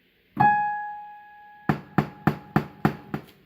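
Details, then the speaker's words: Casio PX-850 digital piano: A5 key (also Ab5) gives a sharp crackly pop with each note, louder when struck harder, mainly from the left speaker with some other noise; cause unconfirmed. "So the popping's from the left and there's sort of like a loosing. There's some other noise as well, but the popping is mainly from the left."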